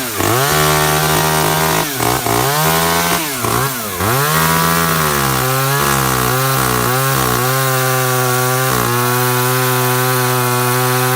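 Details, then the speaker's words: Echo CS3400 top-handle climbing chainsaw, possibly from 2000, with a semi-chisel chain and slack chain, started and left running: crisp two-stroke buzz drops and climbs cleanly with throttle, then holds a steady high scream; runs smoothly. "i did start it up and just let it run for a while"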